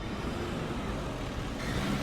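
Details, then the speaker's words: Diesel truck engine revving with a light squeak over the exhaust note that changes character as revs climb; exhaust leak, noted as a costly repair on this engine. "That's a very costly repair. A little squeak like that is a costly repair."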